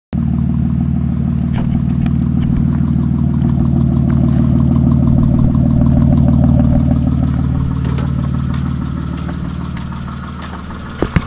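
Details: 1997 Chrysler Sebring at idle: a steady clattering tick at about four per second over a low hum, sounding like an old diesel. Engine knock, origin unknown.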